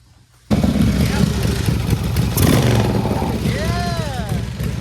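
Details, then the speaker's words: Chopper V-twin after a carburettor rebuild; fires up and blips, and revs drop back to idle quickly without hanging. The previous carb's throttle stayed up longer and gave more fuel. Normal throttle return to idle. "yeah look how fast this Falls I'm going to call it a guillotine but watch how fast this fall the other one the other one was staying up longer and giving it more fuel"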